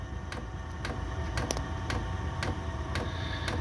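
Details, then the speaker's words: Chinese 5 kW diesel heater running on kerosene, powered via 240V-to-12V transformer, at startup: sharp regular fuel pump ticks over fan hum, quickening as it warms up; normal pump dosing kerosene into the burn chamber. "if you can hear that ticking now that's the pump kick CH so that'll be pumping kerosene now into the bur chamber"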